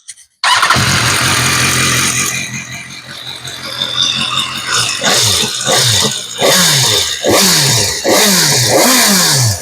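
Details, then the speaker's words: 2016 BMW S1000R after switching from Motul 7100 5W-40 to Castrol Power 1 Racing 5W-40: started and blipped, light mechanical top-end tick under revs, normal valve chatter; oil change made almost no difference. "right guys, so difference is very minimal. You cannot even tell that there was an oil change done caster or whatever"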